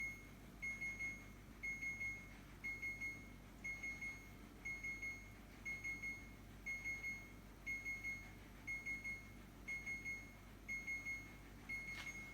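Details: Second-hand fridge alarm sounding continuously: triple high-pitched beeps repeat about once a second over a quiet hum, cause unclear, owner wants it switched off.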